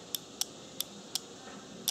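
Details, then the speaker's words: Cooling fan relay bench test, power applied to terminals 1 and 2: crisp single clicks, one per power application plus one double, in a quiet room; relay switching normally, contacts 3–5 and 6–7 closing. "so again we're just applying power again this is clicking you just make sure you guys can hear this"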